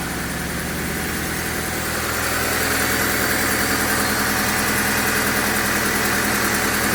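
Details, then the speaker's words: 2001 Honda Civic LX sedan idling quietly and smoothly, no shaking, no engine lights, just after replacing alternator, coil packs and cam cover cap on the project car; steady even low hum, normal idle. "well that's really quiet Lou you hear that"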